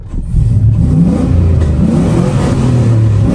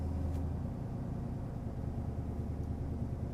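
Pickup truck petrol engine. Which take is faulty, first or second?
second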